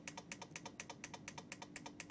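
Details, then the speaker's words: Siglent SPD3303X lab power supply at 8 V into a 1 ohm load, at a transformer tap threshold; rapid even clicks about eight a second over faint hum, tap relay chattering from CV/CC oscillation. "pretty horrific it's pretty horrific I don't see any magic smoke escaping and it's switching the input range current as well the transformer tap as well"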